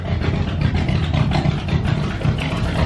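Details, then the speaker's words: Pontiac Catalina V8 started right after an exhaust leak repair: it revs up and settles into an even, deep burble with no rattle or ticking, sounding much better than with the leak. Normal running. "oh it sounds so much better oh my god that sounds way better without that exhaust leak just rattling away"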